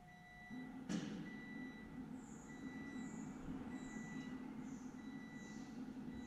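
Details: Triumph Rocket III, idle control valve reset in TuneECU after setting the TPS (about 0.72 V). Faint, short high-pitched whirring chirps repeat about once a second over a quiet hum. Normal idle control valve stepper cycling during reset.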